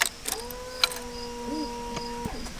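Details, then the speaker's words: Honda VFR Gen 5 sat in a barn nearly a decade, new battery fitted: steady electric hum after key-on for about two seconds, then stops; fuel pump priming normally. "hear the fuel pump kick on all right"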